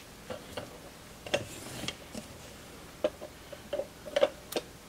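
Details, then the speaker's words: Relay on a DAB Jet 82M GPS water pump controller board, powered up on the bench, gives a few sharp light clicks at irregular spacing as it pulls in and drops out when the reed switch operates. It switches normally, unlike the faulty unit from the pump that won't shut off. "here you go that switched oh that's even more interesting because my one the other one isn't doing that"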